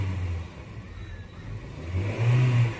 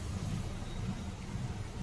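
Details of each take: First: Honda City petrol engine with added CNG fitting, after replacing two faulty ignition coils and erasing the check engine light: idles evenly, revs cleanly and settles back with no stumble or miss, engine silent. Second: Honda City petrol engine with an extra CNG fitting, revved at start: uneven, lumpy rumble that stumbles instead of revving cleanly, with the check engine light blinking; a misfire traced to faulty ignition coils.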